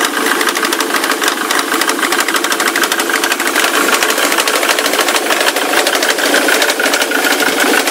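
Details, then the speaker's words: Ford Mondeo 3 turbo-diesel at idle: quick metallic knocking, roughly three a second, keeping time with the engine; unclear knock whose sound comes entirely from the left side, like a chain; engine smokes heavily and throws soot when revved. "весь звук именно слева идет, как будто где-то цепь. Все отсюда."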